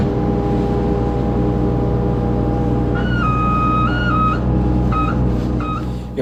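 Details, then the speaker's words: Kubota U25 mini excavator curling the bucket toward the hydraulic thumb: high wavering whistle over steady diesel for about a second as the thumb releases pressure; normal thumb relief operation. "probably wondering what that noise is right there when I was curling the bucket. What that is, that's the hydraulics on the hydraulic thumb there."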